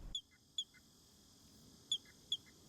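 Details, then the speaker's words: Weedeater trimmer carb primer bulb being pressed to find the return port: four short, high squeaky chirps, one per press; this port, the one closer to the bulb, makes the sound, so it is the return port; normal airflow. "so when you're pressing on the bulb you should hear a sound and if you cover up a port and that sound goes away that Port should be for the return line"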